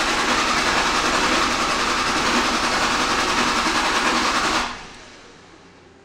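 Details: 2005 Dodge Ram 5.9 Cummins diesel, hot restart: even cranking about three and a half compressions a second for nearly five seconds, never catches; rail pressure drops to 20 psi because of excessive return flow from one or more leaking injectors.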